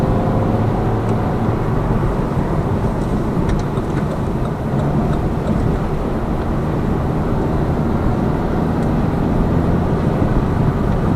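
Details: Lada Vesta Cross with AMT 2.0 robotised gearbox, full load, driving rough road, rail crossings and bridge joints, head-mounted camera; after replacing the front shock struts, stabilizer and engine mount the suspension knock is gone, steady low rumble without clunks.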